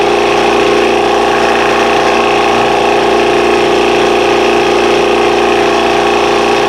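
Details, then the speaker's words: Air compressor during tune-up: steady compressor drone with an even hiss running through it; it runs evenly but leaks air somewhere. "let me just tighten this up see if that stops the leak"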